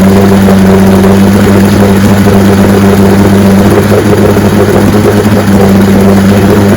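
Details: 1965 75 hp Evinrude Electromatic outboard (owner thought 1963) with electromatic shift, serviced with new water pump impeller and lower unit: loud, steady drone with constant hum, no knocks or surging; runs like a charm.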